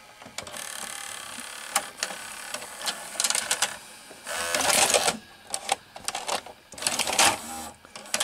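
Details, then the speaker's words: RCA VR335 VCR with a Samsung mechanism, after cleaning the faulty mode switch: quick clicks, short motor whirs and a clean clunk as the tape threads and seats. Normal tape loading. "it seemed that here in fix the problem seems to be perfectly working now see it's working right now"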